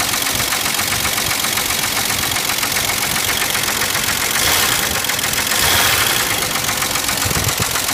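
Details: 1989 Jeep 4.0 Renix engine at idle: loose, irregular knocking about four per second over a harsh clatter, typical of a badly worn bottom end. Engine considered finished and due for replacement.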